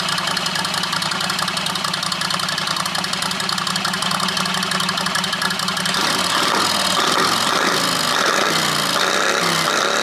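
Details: John Deere 214 mud mower with Predator 670 V-twin, muffler rebuilt without packing: loud ragged exhaust stumbles and stutters once the throttle opens; breaks up at mid throttle, owner thinks it runs lean and plans to richen the needle.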